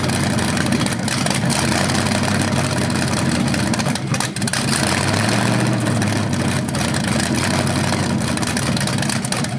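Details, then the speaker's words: First run of a BluePrint 396 big-block crate engine on a stand outdoors, bound for a 1970 Camaro SS, with headers, oil primed and timing checked: loud, deep, lumpy idle with throttle blips, no knocks or leaks; the rev sound seemed different, possibly headers or flywheel. "First run of the engine. It sounded good. I don't see anything leaking."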